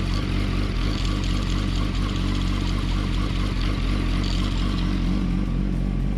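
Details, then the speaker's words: 2007–2008 Yamaha R1 idling with the microphone close to the clutch, after shimming and welding the slipper clutch springs. Steady, even low rumble with no rattle or chatter; clutch works fine after the repair. "and we'll get nice and close to the actual clutch itself. No issues there, clutch works fine."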